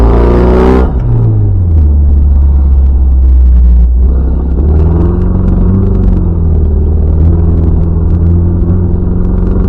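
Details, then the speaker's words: Mazda MX-5 NB 140, after three track sessions: deep, uneven, lumpy idle with revs sagging almost to a stall, engine running on few cylinders. Owner suspects ignition coils; it was later found to be an ignition fault on two cylinders. "je pense que c'est un problème d'allumage bobines sais rien écoute ça est prête à caler là quand je suis au ralenti c'est prêt à caler ça tomne sur une patte"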